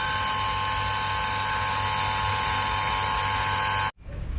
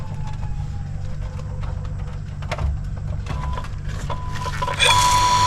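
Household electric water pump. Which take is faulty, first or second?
first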